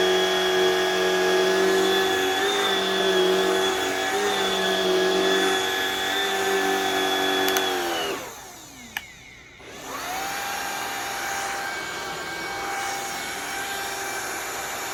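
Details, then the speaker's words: Modern cordless Shark vacuum with power fins; steady high motor whine at even pitch, spins down to stop, restarts and settles to the same smooth tone, fully functional. "Anyways, wow, that thing's a piece of garbage, but it does work. It appears to be fully functional. It's just not a good machine."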